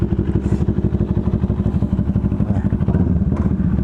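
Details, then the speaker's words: Big bike idling after the tensioner was replaced because it was noisy: even quick idle pulses with no clank or rattle, the clanking noise gone, healthy. "So nagpalit tayo ng tensioner, no? Medyo maingay na kasi. So goods naman na, oh. Ayan. So nawala yung ingay na parang kumakalanting."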